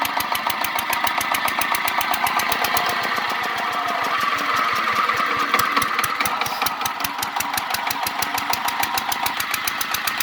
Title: Engine sound problem noiz problem fildmarsan..auto repair oshidur islam